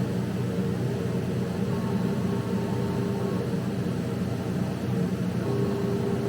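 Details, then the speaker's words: Laser cutter running a cut with the lid closed and the exhaust on: steady rushing exhaust fan with a low hum, even and unchanging throughout; normal operation. "Once you're here, the button up here, the play button, the green button at the top, it will start cutting."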